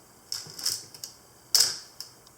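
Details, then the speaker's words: Olympus OM10 FC in manual mode at its fastest shutter speed, 1/1000 s: crisp, sharp, clean and snappy shutter clicks with no drag or hesitation, so the shutter release is normal. "and we'll crank it all the way up to a thousandth of a second"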